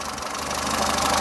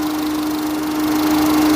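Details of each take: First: Peugeot 207 saved from scrap, warm idle after oil leak repair (now leak-free): light, quick ticking at engine speed over the idle; tappets audible, mild, owner thinks not too bad but plans to adjust them anyway. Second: Peugeot 207 after curing an oil leak, engine warm at idle: steady hum with constant cooling fan whirr over a quiet, even idle; fan on at temperature, no leaks.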